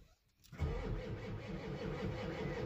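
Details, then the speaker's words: Truck with a 7.3 diesel, no-crank fault traced to the starter solenoid and a bad connection, glow plug relay removed: the starter kicks in and spins the engine with a regular, even low chug; cranking is normal. "can hear that it's cranking over so it works it has a bad connection of course so I'm gonna go over there and clean that that up"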